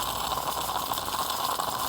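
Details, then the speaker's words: Classic Greca stovetop espresso coffee maker: steady hissing, sputtering gurgle with no low rumble as the pot runs nearly dry, normal sign the brew is finished. "Means that it's right about finished. You have to be careful not to burn yourself."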